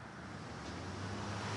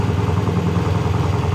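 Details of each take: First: Triumph hardtail motorcycle, first start after nearly a year unrun, full cold start on the third or fourth kick: low rumble that builds and settles into an even run within seconds. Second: Triumph hardtail motorcycle on its first start, very loud, with new exhaust wrap still burning off. Even, fast idle thumping about three beats a second, no knock or misfire, but idling a bit high. High idle.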